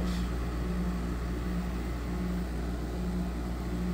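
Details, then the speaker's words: 2008 Frigidaire 6500 BTU window air conditioner FAA074S7A (Electrolux), compressor starting: steady low droning hum with uneven pulsing throb, noisy and barely cooling. "see if it'll kick the compressor on for me there still gun still noisy barely"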